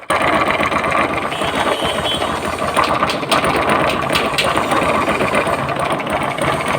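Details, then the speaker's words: Bajaj Pulsar 135 engine: loud clatter with a harsh metallic rasp; three nuts on the starter bendix had come loose, letting it rub the magneto pinion; starter clutch rubbing noise. "তো friends আপনারা সাউন্ডটা টা শুনলেন আসলে মূলত সাউন্ডটা হচ্ছিল ম্যাগনেটের যে সেলফের ব্যান্ডিস আছে ব্যান্ডিজ থেকে"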